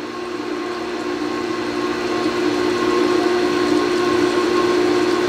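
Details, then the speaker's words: Newly installed replacement motor on a Sta-Rite Max-E-Glas II pool pump, primed with water: smooth steady hum with water flowing, no bearing screech, growl or rumble; the old motor's bearings had failed after 11 years. "So you can hear it's running nice and quiet."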